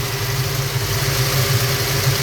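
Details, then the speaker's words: Ford Falcon with small-block 302 V8, carburettor idle mixture screws turned a quarter turn leaner on each corner: steady idle that picks up as the rich mixture is leaned, vacuum steadier around 8. Idle speed rising. "quarter of a turn I can hear that engine pick up a little bit already so let's go to the secondary quarter a turn RPM's Rising engine's much happier"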